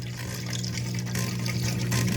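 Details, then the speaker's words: LG front-load washer after a first-time DIY drain pump replacement, door locked and run on speed wash to drain: steady low hum with water rushing through, no grinding or rattling; new pump drains properly. "our pump is draining you see the water flowing there so all right we're calling that successful"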